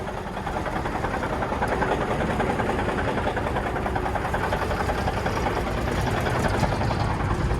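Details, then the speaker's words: 1991 Autocar heavy-duty tow truck, believed to have a Cummins 444 XT diesel, cold start: it starts right up but idles rough and lumpy, like it is not running on all cylinders. It reportedly needs injectors. "Yeah, it starts right up. It sounds like it's not running on all cylinders, right?"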